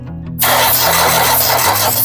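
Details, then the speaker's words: Four-cylinder diesel engine cranked on the starter with a compression tester on cylinder 4: steady, even cranking with no dragging or uneven beats. The gauge reads about 280 psi. "Baik, ini yang terakhir, yaitu kita lakukan pengukuran pada silinder keempat untuk tes kompresinya. Kita starter."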